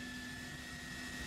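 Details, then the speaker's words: CLG2-V3 75W bi-LED projector headlamp in Suzuki Swift H4 socket, engine off: quiet steady whir of the headlight cooling fan, audible outside but not very loud, constant high hum, no rattle; normal. "Dan suara kipasnya di sini kedengaran ya sampai keluar. Tapi nggak terlalu keras-keras sekali untuk suara fannya."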